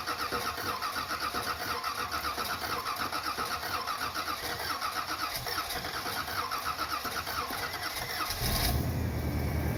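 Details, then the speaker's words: 1979 Corvette V8, not started in a few days, choke not hooked up, after replacing the mufflers with glasspacks: cranks, catches and settles into an even idle with a steady low rumble, no misses or lifter noise; exhaust leak on one side; healthy start and idle. "Sounds better than before. Not very loud, but it's got a little rumble to it."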